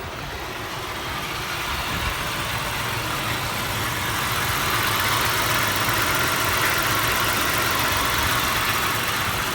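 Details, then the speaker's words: 1989 Buick Riviera 3800 V6, about 90,000 miles, water pump pulley seized and serpentine belt off, run briefly; steady even idle with a faint speed rise, no knocks or misses, sounds like a healthy typical 3800. "sound bad sounds like a typical 3800 that sounds healthy"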